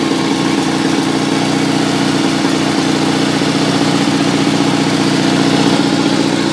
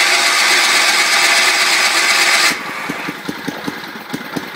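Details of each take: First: 1974 Sears Suburban SS16 twin-cylinder tractor, cold start after cleaning and washing: both cylinders fired, a little flooded, choke used. Steady, even putter with no misses or knocks. Normal cold idle. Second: 1974 Sears Suburban SS16 tractor cold start on a booster battery after cleaning, with water in the engine. After a hiss, it coughs in weak, uneven pops of about three a second. One cylinder is not firing and it is flooding, spitting gas.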